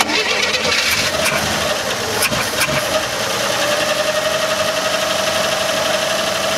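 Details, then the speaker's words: Chevrolet Nova project car that sat for years, first start after fitting points and correctly wiring the coil, fed from a boat tank; cranks, catches with sharp pops, then settles into a quiet, even idle with faint whine; runs great, normal idle. "It runs really good. It runs great. Yeah, it's got a little bit fire, but it runs pretty good."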